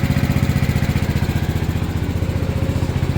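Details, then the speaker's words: Gravely 816 garden tractor with swapped Kohler KT19 engine, running smoothly with a quick, even putter after the bad battery was sorted; it was missing and running poorly on low battery voltage before. "That just goes to show if you've got something running poorly and you can't figure it out, check your battery voltage."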